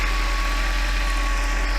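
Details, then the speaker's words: Mercedes 500E W124, 152,000 miles, after new plugs, rotor, cap and fuel filter, no mechanical fan fitted, oil burning off: smooth, deep even idle with slight rhythmic swell as mixture trims rich and lean; normal idle. "engine runs pretty good you can hear the engine adjust rich and lean rich and lean pretty happy with the result"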